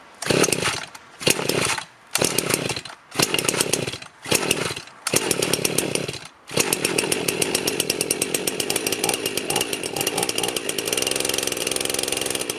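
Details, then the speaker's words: Freshly rebuilt Husqvarna 51 chainsaw after choking off oil in the bottom end, cold weather: a few short blips, then a steady crisp high buzz holding evenly with no stumble; runs clean and healthy. "foreign well that sounds awesome it's running awesome sounds great"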